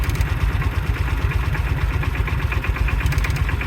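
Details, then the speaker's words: 1995 Kawasaki Mule KAF620A started ice cold after fuel tank work: lumpy low cold idle with faint metallic tick and ring on top; owner attributes the clicky-clacky ringing to the fuel pump, not confirmed. "oh that's the fuel pump it is a clicky clacky it's just a little baby clicky clacky never heard it run before"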